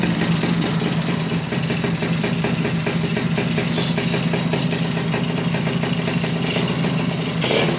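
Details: Suzuki Bravo (RC100) two-stroke after carburetor service and combustion chamber cleaning: starts easily, revs freely, but fast steady rattling knock rides over idle; worn connecting rod (stang seher), replacement recommended, not yet done.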